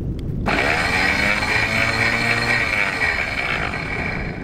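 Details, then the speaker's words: Electric anchor windlass running with no load in the down direction, steady even motor whir and gear hum, normal sound; solenoids tested fine at about 12.4 V, while the up direction grinds and struggles. "mostly what it should sound like and this is up"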